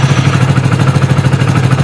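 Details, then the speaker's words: BS6 fuel-injected motorcycle after injector tested with multimeter and reassembled: even, regular low idle thump with no skipped beats; previous misfiring cured, check light and old error still present, ECM refresh possibly needed. "गाड़ी तो start है, start पहले भी हो रही थी। Main था missing, जो अब गाड़ी मिसिंग नहीं कर रही है।"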